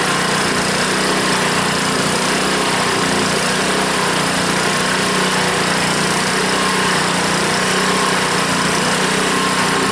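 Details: Honda small engine on a water pump after clearing a clogged carburetor float-bowl jet that caused the no-start (fuel shut-off valve still leaks): loud, steady buzzing at constant speed with no misses, surging or stumbles; normal running.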